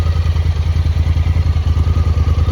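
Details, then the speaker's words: Honda Talon that had suddenly started running rough, with a fuel issue suspected: back from a muddy ride, it has a steady, even low idle thump with no misses; it is back to normal and a fuel pump replacement was avoided. "all right guys well we just got back as you can see the dirt roads were pretty muddy out there but it's running a lot better like it's completely back to normal now"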